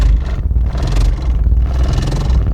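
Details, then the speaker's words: Car with no-crank fault, after repair: strong quick crank catching straight into a heavy even rumble; engine starts first try and runs cleanly. "sekali start a dah boleh dah."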